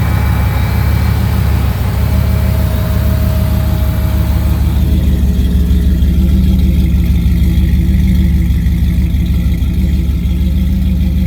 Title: added thermostat for electric fan, fixed vacuum leak, adjusted idle and fuel pressure.